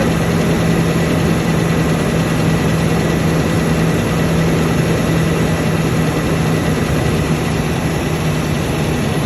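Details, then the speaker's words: Toyota 1UR-FE V8 at steady, deep idle with a dull knock under the even beat that never smooths out; the knock gets more distinct as the oil thins and oil pressure is said to drop at 1/4. Cause not yet found. "Стук еще сильнее. Ну еще отчетливее. То есть чем жиже масло, тем отчетливее стук."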